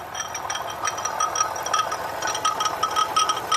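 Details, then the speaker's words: 2009 Lexus RX350 3.5 L V6 2GR-FE, running with an AC bypass belt on: light irregular rattling and clinking, about two a second, from the passenger side. Accessory drive noise, suspected water pump, alternator, tensioner or idler pulley. "We are now running with the AC delete or AC bypass, and you can hear the noise."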